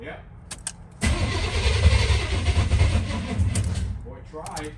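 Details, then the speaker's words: Junkyard 1989 Chevy Suburban on starter fluid with no fuel pump heard and a possibly low battery: the starter cranks about three seconds, the engine stumbles and briefly tries to catch, then dies. It later ran after a 12V start. "it wanted to hang on I got to stop this and I got to put it on 12v start"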